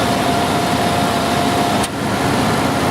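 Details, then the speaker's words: Dodge Dakota 4x4 5.2L after R-12 to R-134a retrofit, vacuumed and being charged: even idle with a sharp click and brief dip in hum as the compressor clutch cycles on low/high switch requirements; normal AC clutch cycling. "now as you see the compressor is starting to cycle and it does that that's normal Dodge programming"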